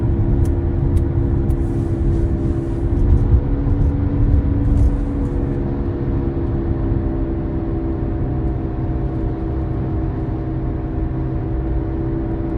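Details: 2023 Tesla Model Y Dual Motor AWD, about 78,000 km, steady whirring scratching drone from the front wheel while driving, louder with acceleration and speed; caused by the front hub assembly, fixed by replacing hub, bolts and nut.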